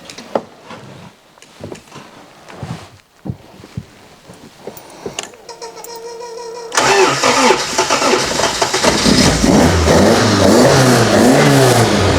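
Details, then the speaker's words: 1967 Lotus Elan +2 with non-original Japanese engine, parked four years, old spark plugs reused: after some fumbling it catches at once and revs cleanly and evenly; good start. "there we go that's all right yeah japanese reliability"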